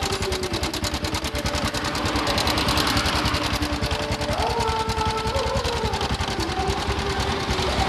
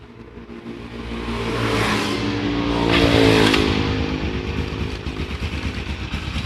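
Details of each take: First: Honda Supra X 125 with a rough noise at the front of the engine: quick, light metallic clatter over a steady idle. After tightening the cam chain tensioner adjuster bolt and revving, the noise remains; a slack cam chain is suspected. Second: Honda Supra X 125 motorcycle after replacing the loose cam chain with a new one: revs then settles to a steady even idle, no top-end rattle or clatter; normal idle after repair.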